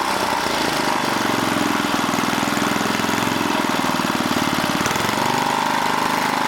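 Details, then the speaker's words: 1980 rototiller, small single-cylinder engine chugging steadily but speed creeping upward instead of holding; tightening the throttle control cable didn't help, so the worn throttle control needs replacing. "now we got it but this thing is creeping so i need to put a new throttle control on here"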